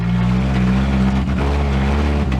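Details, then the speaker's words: Demolition derby car on a shakedown lap after a new radiator (possible pinhole leak): a loud, deep, steady drone with slight periodic dips like a choppy cam; the engine runs strong with no knocks. "sounds like a got a ghost cam anyway so sounds all right"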